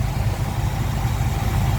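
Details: 1976 Chevy C30 one-ton built from spare parts, V8 with a mix of Holley and Edelbrock parts: steady, even low rumble at idle with no misses, ticks or knocks. Runs smooth and normal.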